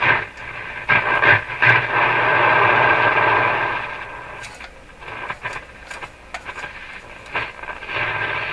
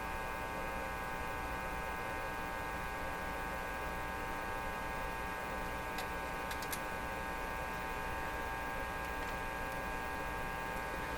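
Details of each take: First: Marconi Model 295 two-band AM/SW receiver, first checkout, AM band: hiss and a steady whistle while tuning, stations coming through between bursts of static; normal AM reception. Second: Marconi Model 295 AM/shortwave tube receiver, volume full: steady low mains hum with buzzy edge and no station; band selector likely on phono, not a receiver fault; a possibly loose tube was wiggled.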